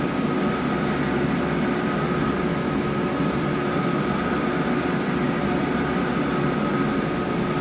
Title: MJP 2500 Plus Strange Noise